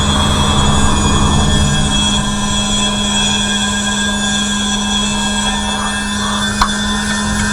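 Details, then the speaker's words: Cheap small electric fan pump of the crankcase evacuation system on a Tahoe, blowing into the exhaust, tested before the engine starts: loud, steady buzzing drone of constant pitch. It runs evenly and pulls good vacuum. "oh yeah that's pulling a good vacuum now cool beans"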